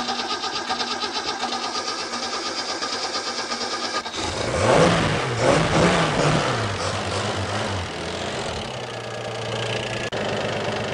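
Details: Engine with Kettering points ignition, distributor being rotated via 9/16 bolt during timing adjustment: idle lumpy and uneven, then rises and hunts as distributor turns; ignition timing well out of spec, target eight degrees.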